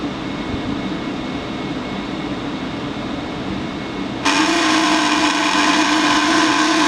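A steady buzzing drone with a faint high tone, jumping louder and harsher partway through; blower buzz, cause not yet known.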